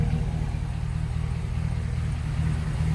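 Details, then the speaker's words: 1998 Chevy Suburban with LS swap, just after fuel pump replacement via cut access panel: started up no problem; smooth, even, real quiet low rumble at steady idle, no knocks, ticks or whine; healthy. "all right he's running started up no problem so everything see mine is working out right it's real quiet real quiet"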